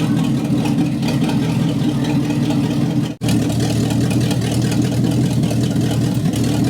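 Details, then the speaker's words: 1962 Cadillac Sedan DeVille 390 cubic inch engine, first run after 30+ years parked, vacuum leak at throttle adapter plate plugged, idle raised, no exhaust fitted: steady even loud raw rumble, no misses or knocks; normal idle. "all right runs good sounds good needs an exhaust but it sounds [Music] good"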